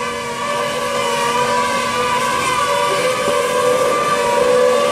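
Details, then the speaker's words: Newly replaced gas spa heater makes a steady, fan-like whir with a layered humming tone. It happens only while the gas heater runs, and the owner is unsure of the cause, possibly a fan or moving part. "okay here's what's happening on our new heater making this weird sound i have no idea what it is sounds like a fan or something or some moving part"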